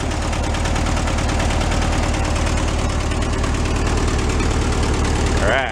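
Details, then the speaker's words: Engine of a 1970 Amante GT kit car on a 1965 chassis, revived after 44 years in a barn: steady, even idle with smooth regular firing and no skip after a bad spark plug was replaced; normal idle. "Bad plug. Bounce on all four. Smooth too. Nice and steady."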